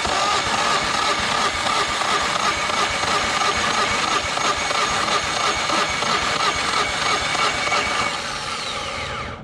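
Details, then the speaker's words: 2010 Yamaha 25hp four-stroke outboard, formerly locked up, cranking on a compression test with the gauge on the bottom cylinder: 195, the same as the top; steady even whir about three beats a second, matched compression. "at that literally 195 it has dead Ethan compression I mean that's pretty crazy for a motor that was locked up I mean can't believe that even compression"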